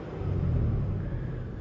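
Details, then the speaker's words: 1998 Toyota Tacoma 3.4L V6, 300,000 miles, idling after AMSOIL engine flush and oil change: low, soft, even rumble with no ticking or knocking; owner says it was very loud before and now runs much smoother. "It's a different It's It's Everything's different. Everything's smoother. I'm happy."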